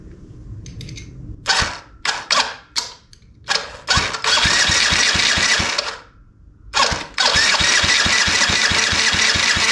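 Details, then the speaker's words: Yamaha restoration engine, repeat compression test cranking with throttle open: short starter bursts then long fast, even cranking with strong regular compression beats; compression great, healthy. "let's try that again dude that is great compression throttle open"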